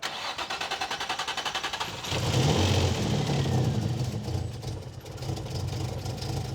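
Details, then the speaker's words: Nissan 350Z just fitted with new injectors and fuel pump upgrade for turbo setup: fast even cranking about four per second, then catches with uneven, lumpy idle; suspected needing programming, possibly a vacuum leak, unconfirmed. "It's running weirdly, but that's because we have new injectors in there. So, I think it just needs to be programmed."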